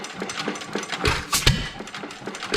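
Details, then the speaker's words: Domestic Type F engine with mud sucker pump, first run after purchase, a spring cut about a quarter inch: slow, uneven clatter of knocks and ticks that never picks up speed, still too slow to pump water but running. "it's still running too slow to pump water at least it's running"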